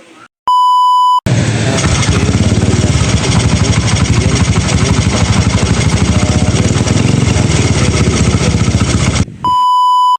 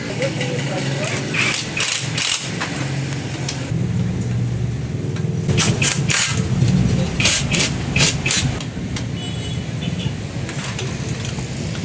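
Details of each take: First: Honda XRM 125 at idle, recently fitted with a new bore kit (bore, piston, rings): steady, rapid knocking riding on the firing; teardown found damaged connecting rod and side crank bearing, plus a damaged camshaft assembly. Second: Honda XRM 125 single-cylinder motorcycle after repair of engine knocking, with new camshaft after a damaged camshaft, connecting rod bearing and side bearing were found: engine blipping up and down, picking up and settling cleanly with no knock; normal running.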